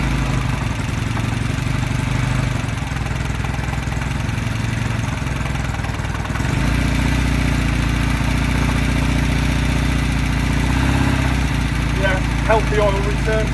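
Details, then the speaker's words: 1969 Norton Commando Fastback, first start in early March after winter layup, badly wet sump drained, fresh 20-50 oil, charged battery, 17°C: fires on the kick and idles with a deep, steady twin-cylinder thump, revs rising slightly. Normal idle. "Ooh, she fired. Or barked. Just going to give her another tickle. She's definitely barking."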